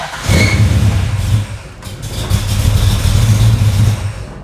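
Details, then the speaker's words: Engine with FiTech throttle-body fuel injection, hard start especially warm: cranks and cranks, then sputters and surges unevenly before holding rough running; EFI unit unpowered while cranking, fixed by wiring correction. "notice it just cranks and cranks so it probably takes me two or three times to do this and it starts to sputter"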